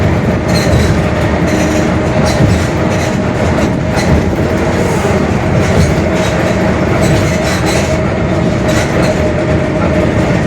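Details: Mercedes-Benz OF-1721 Bluetec 5 city bus, 2021 build, Mascarello GranVia Midi long body, onboard while cruising: a steady droning hum under constant road and engine rumble, a growling worn rear differential.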